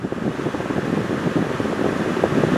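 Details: Honda truck A/C after swapping in a good relay in place of a failed one (something loose inside) at about 990,000 miles; compressor now kicks on, vent temperature dropping toward 55°F. Steady blower rush with even hum, no cycling, squeal or rattle; normal A/C operation.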